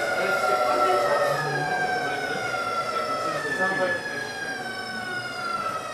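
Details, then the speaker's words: VVVF PWM induction motor drive decelerating: whistling tones glide downward, then jump to a new pitch pattern, noisier as more pulses come back in, like a Cambridge–London train; normal inverter whine. "A definite gear change. Much more noisy now. Those pulses have come back. Lots more pulses coming in."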